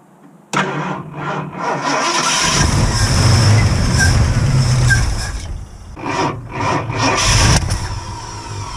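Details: 1969 Ford Mustang carbureted V8, first start after fuel issue, gas just added: starts abruptly, settles into a fast steady idle with a couple of surges, far too high; couldn't choke it down by hand.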